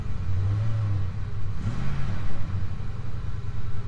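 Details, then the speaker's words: Ford F-150 with no-fuel stall (P0174, P0191) after installing a new fuel rail pressure sensor: catches and answers a light throttle blip cleanly, steady low rumble settling back without stumble; possibly running better. "all right so it seems like it's running better I don't know maybe"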